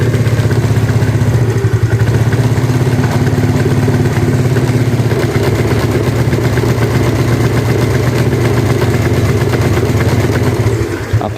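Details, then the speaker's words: Yamaha Mio carbureted scooter before repair, with a new carburetor vacuum diaphragm fitted and good compression: it idles steadily but stumbles and stutters as the throttle opens; hesitation from a worn, loose needle jet. "kalau untuk langsam dia mau ya bagus kalau untuk langsam tapi kalau untuk ditarik gas awalnya"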